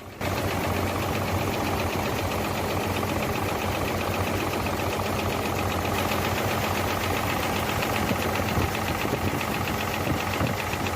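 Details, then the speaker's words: Hino J08C truck diesel idling after overheating: rough, uneven idle with dull knock; loosening injector lines on cylinders 1 and 2 changes nothing, so both are dead, making no pressure, pistons nearly seized. "तो आप देख सकते हैं हम दोनों ही pipe ढीले कर रहे हैं और इंजन को कोई फर्क नहीं पड़ रहा ठीक है तो समझ सकते हैं कि इन दोनों में फाल्ड है यह दोनों ही पिस्टन काम बिल्कुल नहीं कर रहे प्रेशर बना ही नहीं रहे बिल्कुल यह तकरीबन सीज हो चुके हैं"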